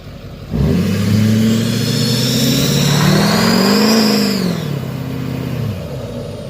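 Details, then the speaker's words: 2007 Duramax LBZ diesel truck, built trans, tuned, SDP deleted, MBRP 4" exhaust and downpipe: a loud high screech rises with the engine when building boost under load and drops off when easing off; exhaust leak confirmed at the up-pipe gaskets. "we got some weird type of booths Lee slash exhaust leak every time we build up some boots and get on it there's a really loud screeching sound so we're thinking that it's the UH pipe gasps gets you to the top of the bottom"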